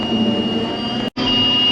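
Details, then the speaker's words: Forage harvester chopping hay with a high-temperature alarm beeping steadily over the engine roar. Owner suspects a failing sensor: oil tested not too hot, and the alarm goes off and on over bumps. "yes you hear the beeping it's a high temperature sensor but I think the sensor is going to hell"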